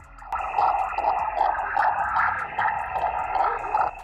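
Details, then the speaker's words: Victron SmartSolar 75/15 MPPT charge controller powering a portable HF ham radio: a warbling, pulsing buzz about once a second covers the receiver and wipes out the band. RFI switching noise from the charge controller. "the noise from this charge controller shuts down the entire band let's jump down to 17 meters"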